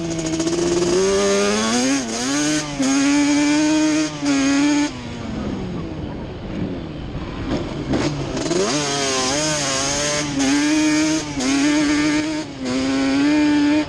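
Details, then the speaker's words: Banshee two-stroke ATV after carburetor needles moved back to the middle position, test ride: crisp revving rising and dropping cleanly through gear changes, no stumbles or missing; misfire gone. "I just got back off of a test ride and I feel like a complete idiot but the miss is gone so just moving the needles back up to the middle position straightened it out"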